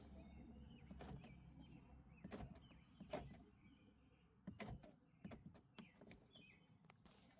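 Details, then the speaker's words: 2022 Toyota Corolla Hybrid, after replacing the door lock actuator: short crisp clunks, each followed by quiet, as the lock throws cleanly every time; the new actuator locks and unlocks normally. "And I can hear it actually locking inside of there. So, yep, I think this took care of it."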